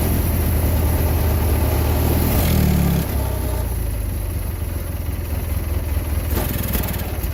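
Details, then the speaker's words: Husqvarna GT cold start after engine reinstall: short rough rising starter whir, then engine catches and runs at a steady low thrum; slightly smoky, charge light still on; starter sounds bad. "So, but hey, it actually sounded pretty good, other than that darn starter."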